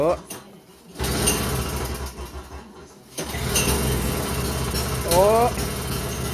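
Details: Toro CCR2450 snowblower, 141cc R-Tek two-stroke on mix gas, after carburetor cleaning for a no-start: catches and settles into a steady buzzing run with no misses, partly masked by music; normal running.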